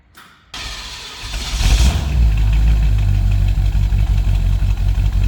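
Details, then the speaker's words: 1970 Chevy C10 Suburban V8 with new Sniper EFI, cold start after sitting a long time: brief cranking, catches, flares up, then settles to a smooth even idle; normal cold start. "And now she just purrs right at 750. So with that, it's been a long time. I'm gonna do a cold start for you."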